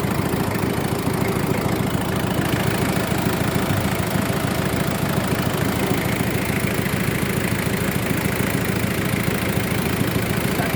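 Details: Mazda WL diesel with a hard-start problem, first start after pumping the priming pump: even diesel clatter holding a steady idle, pulses a little over twice a second, no misses or hunting; normal idle.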